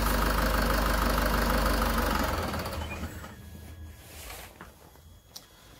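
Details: Land Rover Freelander 2 2.2 TD4 diesel idling cold after partial coolant drain during thermostat replacement (thermostat was opening too early, heaters cold): even diesel clatter for a couple of seconds, then fades as engine is shut off; healthy idle.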